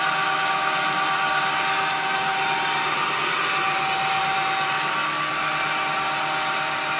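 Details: Homemade propane-tank ball mill, belt-driven motor run off a battery charger drawing about 2 amps: steady even rolling rumble with hiss on top, no knocks or surges; turning smoothly.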